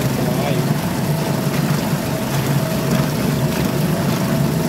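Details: Suzuki DF2.5 2.5 HP outboard, long stored and not starting, after clearing a clogged carburetor jet with wire and air: steady, even buzz at constant speed, no misses or surging; running cleanly.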